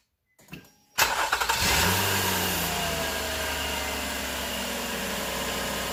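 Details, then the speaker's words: Nissan Murano 3.5L after a belt is replaced, tensioned and the 14 mm pulley bolt locked: short crank, then a smooth, even idle with no squeal or chirp. The start-up belt squeak is fixed. "alright it looks like it's good no noise so this is a fix now is put everything back together"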